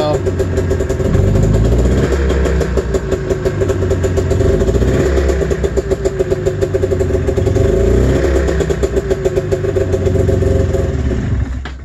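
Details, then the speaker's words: Snowmobile, cold Saturday-morning start: the two-stroke pops unevenly, lumpy and stumbling, sounding like it runs on one cylinder, smoky; owner suspects the fuel, unconfirmed; engine misfire. "train so sounds like it's running on one cylinder oh you can hear it a little bit it's starting to lighten up yeah that's pretty foggy it could be a crazy could be the gas"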